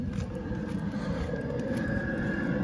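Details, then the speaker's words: Vehicle with night heater, engine running: faint light ticks repeating over steady engine hum, the night heater's fuel pump metering normally; heaters described as rather noisy. "you're not ticking there that's the fuel pump for the night heater"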